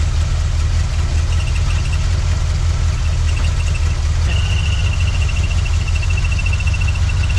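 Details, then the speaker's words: 1979 Chevy C10 V8 after sitting 5 years: steady low rumble ticking over evenly with no knocks or misses, faint high whistle in background; normal idle. "I don't know that we really need brakes where we're going. It'd just be nice to see this thing like move on its own power."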